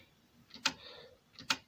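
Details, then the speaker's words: Cassette deck: load/unload mechanism makes two sharp ticks but the capstan flywheel is not spinning, though all driven by the same motor; seems seized, likely a belt fault; turns once nudged by hand. "flywheel is not spinning. So that's that. But it's all coming off the same motor. So that somehow seized."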